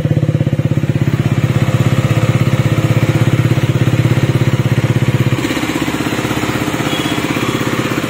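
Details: KTM Duke 250 BS6, silencer blocked off: steady, even single-cylinder thumping idle with no tapping or rattle; the earlier engine noise is gone, normal idle.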